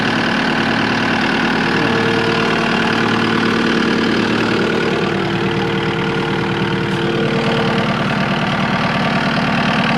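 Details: Cat 259D skid steer diesel after 1500-hour service (oil, oil filter, air, cabin and fuel filters) and new fuel pump, checking for leaks: loud steady diesel clatter at even idle, no miss, knock or surging; normal idle.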